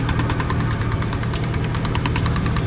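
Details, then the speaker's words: 1999 Chevrolet Silverado V8 at idle with fast, even metallic ticking that sounds like engine knock but is a loose dust cover rattling; the noise stops when the cover is held by hand. "I'm looking to see if there's a bolt or something up here that's not tight. And there it is. It stopped. It's up in here."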